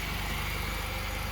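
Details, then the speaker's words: 2005 Pontiac Grand Prix 3.8L non-supercharged V6 after oil pressure sensor replacement, oil light and high idle gone: smooth, even idle with steady low hum, no knocks, ticks or misses; normal. "Engine still sounds good."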